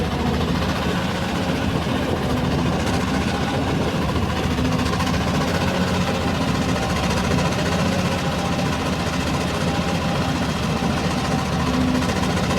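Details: R480LC excavator diesel idling: uneven stumbling beat with occasional knock, cylinder misfiring; injector problem suspected, not confirmed.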